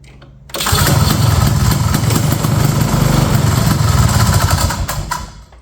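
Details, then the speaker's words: 1970 Ski-Doo Olympique 335 snowmobile bought at a farm auction, first start attempt after priming the carb and fuel pump, no kill switch fitted: the pull start gives rough, uneven chugging that fades without catching. It cranks but will not start. "Okay. Nothing yet. Give a little more prime."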